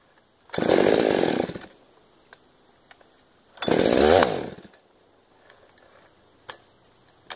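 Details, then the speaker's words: Model 372 chainsaw that chokes and dies: two short ragged revving bursts, rough and uneven; owner suspects a carburetor problem, possibly crud inside. "sounds like carburation issue i might have to tear the car back apart rebuilt it"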